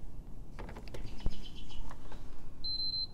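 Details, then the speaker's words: PS5 Blu-ray Edition plugged in: plug clatter, then three quick high beeps and no power on; suspected corrupted BIOS flash that the South Bridge cannot load, not yet confirmed. "those three beeps like that when you apply power usually means that the the South Bridge cannot load its H software off of the flash memory it's corrupted in some way"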